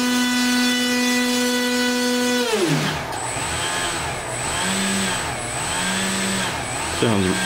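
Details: RC airplane electric motor with 23-inch drive shaft extension to the prop, bearings breaking in: steady, clean whine at constant speed, smooth wind-down and brief spin-up, no rattle or rub; shaft runs smoothly, sounds really good.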